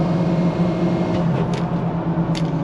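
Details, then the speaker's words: Diesel truck with stock exhaust whose HPOP had been killed by a badly fitted oil cooler screen: a steady, even drone pulling cleanly at part throttle with no stumble or knock. Running normally; still needs injectors. "so um we're making Headway for sure this truck runs a million times better"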